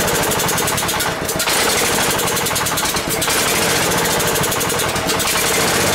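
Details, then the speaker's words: Ford garden tractor, sat long as a no-run, fuel line clipped to check whether fuel flows fast enough: small petrol engine firing unevenly, surging and stumbling every couple of seconds; runs rough, owner suspects fuel starvation. "I want to see if the uh fle has any fuel on so I clipped it off right there and we'll see if it's just not filling up fast enough to keep it running or if we have another issue"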